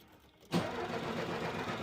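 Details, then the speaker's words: Car won't start: turning the key gives a fast buzzing relay chatter instead of cranking; ground (earth) connection suspected as the cause, and after the ground was sorted the car started and ran. "Olha só o defeito que tá dando o carro não liga e o relê fica gripando"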